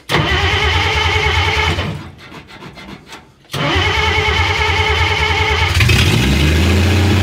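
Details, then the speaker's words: Willys FC-170 Jeep truck first start, revived with battery, cleaned points and gas; cranks, catches, briefly falters, settles to steady idle with raspy puffing chuff, fuel pump clacking; exhaust leak, called mild, described as massive. "so it's a runner it wants to run all right [Music] like i say mild exhaust leak okay"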